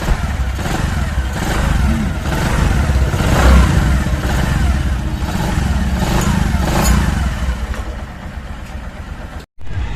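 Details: Bajaj Platina 100 single-cylinder bike just after a thicker-link 94-link timing chain was fitted, timing set and oil added; two earlier chains had been replaced. It revs and settles with an even beat, with no chain rattle. Sounds healthy.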